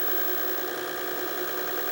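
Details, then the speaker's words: 1990 GE 2-head mono VHS VCR, heads and mechanisms cleaned, rewinding after playback: a steady even high reel whir with no squeal or grinding, returning only to tape counter zero rather than fully rewinding. Normal rewind. "again the tape hasn't fully rewound it just went back to where the tape counter was at zero see the tape hasn't fully rewound which is a pretty convenient feature if you want to CU something up and show it several times over again"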